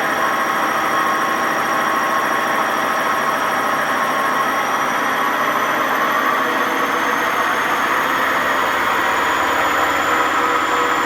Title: WMA50 spinning without ballast, and very bad bearing noise